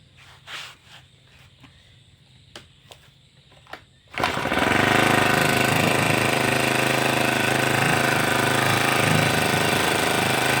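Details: Grass trimmer that started and idled but wouldn't rev, owner suspecting a cracked primer bulb; after replacing the bulb and refitting the filter, light clicks, then it catches and holds a steady strong buzz, running healthy.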